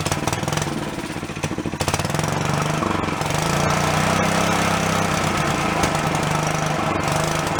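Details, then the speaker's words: Long-stored Yerfdog go-kart single-cylinder, now running on its own without thumb-choking: choppy popping for a couple of seconds, then a steady, even buzz; owner thinks a blocked carb passage or vent suddenly cleared. "I don't know what fixed it all of a sudden just kind of pulled through and it started going on its own for me thumbing it"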